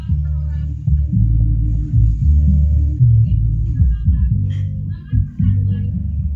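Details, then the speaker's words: Polytron PMA 9502 active speaker after repair of dead bass (fault was a bad solder joint at the subwoofer speaker terminal), vocal speakers disconnected: deep, full bass notes play cleanly with no crackle or dropouts; subwoofer working normally. "Nah, teman-teman bisa dengarkan di sini untuk nada subwoofer sudah berbunyi dengan normal."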